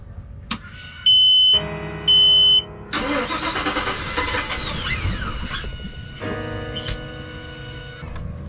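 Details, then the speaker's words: Volvo Penta 5.7 in a 2004 Chris Craft 33 Express Cruiser that died leaving the dock, cranked with throttle in neutral: beeps, cranks, catches briefly then fades out at once; fuel starvation suspected, cause unconfirmed. "feels like it's it's it's not getting enough gas doesn't it it's yeah it catches and then it's not 100 it's running but then it's like it immediately just runs out"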